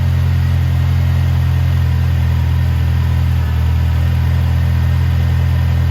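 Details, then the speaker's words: 1985.5 Ford Mustang SVO turbo engine idling smoothly with steady even rumble after fixing vacuum leaks (cross-threaded bolt hole, open throttle-body ports); first start after reassembly and fuel priming. "that sounds way better it's running smooth"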